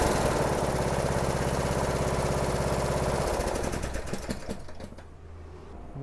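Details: Briggs & Stratton 17.5 HP mower engine, approx. 2018, manual choke, test run after carburetor cleaning: steady, even beat for about three seconds, then winds down cleanly; no misfire or surging.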